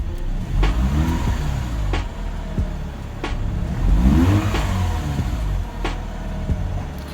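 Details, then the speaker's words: 131k-mile Mazda RX-8 R3 rotary, hot, with replacement intake, revved in neutral; stock intake previously seemed to struggle climbing RPM, hot-start issue and earlier noise now gone. Spins up cleanly and falls back smoothly, no stumble or hesitation; healthy. "Alright, let's rev it up a little and see how it climbs RPM, because with the stock one it seemed like it was struggling a little bit."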